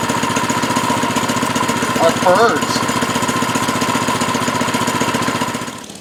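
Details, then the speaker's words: Baja Doodle Bug mini bike, 2.8 hp single-cylinder, after fitting a new carburetor, fuel line and air filter; quick, even putter with steady firing, fading out at the end: runs cleanly. "well it runs"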